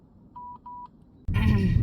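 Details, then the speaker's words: Dashcam in a car sounds two short, even mid-pitched warning beeps about a quarter second each, then cabin noise, because no SD memory card is inserted. "sa akong David ang ako ding dashcam wala ang kuwan card maong saba kayo"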